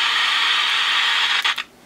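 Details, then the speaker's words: Sony Air 7 airband receiver that received nothing, fed a 76 MHz signal-generator input: steady speaker hiss that stutters and cuts out abruptly. Crackling, erratic audio blamed on bad volume/squelch potentiometers. "I got a point with it's working right now but it's really erratic so this is injecting 76 MHz for my signal generator so that should be working correctly um but this is really glitchy these pots appear to be bad right yeah that's the problem"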